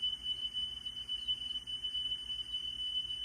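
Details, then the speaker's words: Car stereo cassette deck after drive motor repair and speed adjustment, playing a test tape: a clean, steady tone near 3 kHz with no pitch wavering. Correct, stable playback speed. "That's good. I don't think I'm going to get it any closer than that. That's pretty damn good."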